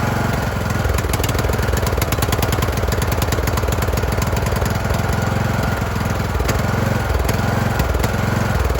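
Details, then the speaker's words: Craftsman YT3000 riding mower: loud single-cylinder putter swelling and sagging unevenly at idle while choke is manually adjusted to smooth it; engine surging (hunting idle). "You guys can hear it. It is surging. I was just kind of manually playing with the choke on there to get it to smooth out a little bit."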